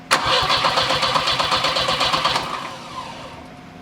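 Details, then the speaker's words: Turbo Volvo 740 with cut-open wiring harness: engine fires and runs roughly for about two seconds with a pulsing beat, then dies as soon as throttle is applied; spark confirmed, fuel delivery suspected, main fuel pump thought not working. "that's ah just kills it as soon as you try and throttle up but that means we know it's got spark and we'll run as soon as we can consistently get fuel to it"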